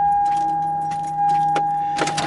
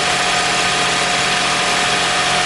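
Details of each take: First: 2001 Toyota Sienna with a no-crank complaint, starter replaced less than a year ago and new battery: steady high whine with scattered clicks, engine not turning over; client suspected a weak battery, but the fault is a bad starter. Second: 2001 Toyota Sienna idling after the bad starter was replaced: steady, even idle with a constant hum, no misses, knocks or grinding; normal idle.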